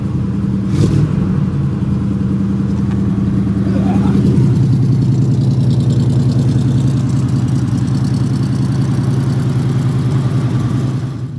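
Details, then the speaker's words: Old hot rod after fitting a new fuel line and extra filter before the pump; steady cranking about three and a half turns a second, no catch yet while the new line primes. "She's trying. It's probably going to take a minute to get it primed back up where I added that new line."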